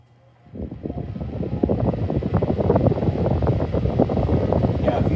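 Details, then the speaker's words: 1956 Zero Fan 1250R after repair, cleaning and bending out all four blades: it spins up to a steady, even whir with no rubbing, ticking or wobble. It now coasts down slowly when switched off instead of stopping immediately; healthy. "if you saw my previous video, in your opinion, do you think this sounds a lot better now than it originally did?"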